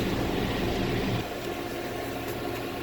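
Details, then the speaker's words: Delfield prep table after replacing a water-damaged temperature controller; doors back on, unit running with a steady even hum and smooth fan rush, no rattles or squeals; controller has a 3–4 minute start delay. Normal running. "doors are back on, unit's running. You want to keep in mind that the temperature controller has like a 3 or 4 minute delay on it."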